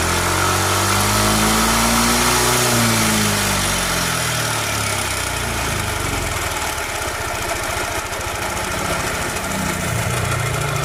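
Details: Yamaha NMAX scooter at idle: harsh, rough rattling from the front of the engine, steady and even around four a second.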